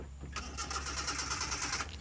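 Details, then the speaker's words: Old car with distributor and contact points, engine misfiring: after adjusting the point gap, the starter cranks rhythmically about 1.5 s but never catches; a broken contact-point wire is later found to be the cause. "Nah, ternyata mesinnya tidak mau menyala, teman-teman. Sebaliknya, pasti ada masalah lain di sini."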